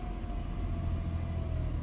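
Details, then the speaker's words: 1999 Mercury Mountaineer (Ford Explorer) engine starting right up and idling with a low, steady, even rumble and no ticks or knocks, after re-capping the engine computer (PCM) with leaded capacitors and reconnecting the battery; normal idle. "attack started right up no problems"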